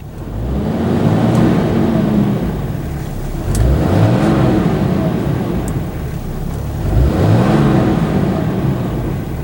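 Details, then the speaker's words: 2010 Dodge Ram 3500 with Cummins 6.7 diesel, after its fourth water pump was fitted, warmed to operating temperature: three clean throttle snaps to push coolant through, each returning to a steady idle with no rattle. Normal revving. "The next thing I'm going to do is just snap the throttle a few times."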